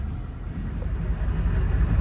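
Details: 2002 Honda Accord after crank-no-start fixed by programming both keys with Autel IM508; low, steady engine rumble with no knocks or misses, starts and runs normally.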